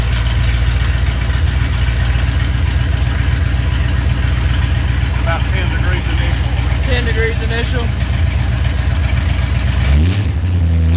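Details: Restored Ford Galaxie 500 V8, timing 15 initial, 36 total; deep even rumble, smooth rev-up and settle, revs near 3,000 rpm: normal running.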